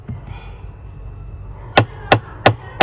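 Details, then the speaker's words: Tata Altroz AC blend door actuator motor, a repeat fault after an earlier glue repair, unit removed and shown: after a quiet stretch, four sharp ticks about three a second as the actuator skips because the flap can't reach full travel. "इसे पूरा पथ नहीं मिलता। इसीलिए यह cut-cut-cut-cut-cut-cut की आवाज करता है।"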